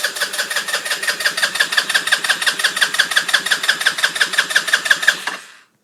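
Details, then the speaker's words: 2007 Baja SC150 scooter with new spark plug, which ran 10 minutes then wouldn't restart: starter cranks evenly about three strokes a second for five seconds but never fires; cranks, won't start, cause unknown. "I connected everything I new spark plug uh let's see how it's how it's not going to start"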